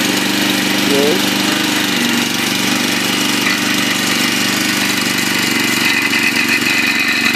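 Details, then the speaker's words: Log splitter small single-cylinder engine after welding repairs to the shut-off linkage: running steady and even with a constant note, no knocks or misses; normal running. "yeah i'll start it up so you can hear it run let's sit here and turn the switch on should start first pull i think"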